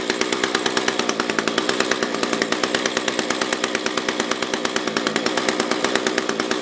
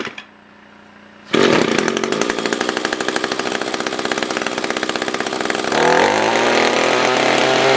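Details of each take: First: SRM-210 trimmer with replacement carb, during idle/main screw tuning: high-rev scream with fast uneven pulse and slight hunting; fuel starvation, owner thinks fuel level is below the fuel filter. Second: Echo SRM-210 trimmer after repair (new carb, fuel filter, plug, fresh gas, handle), tank refilled: catches and settles into crisp, even two-stroke buzz with clean pickup; normal idle and revving.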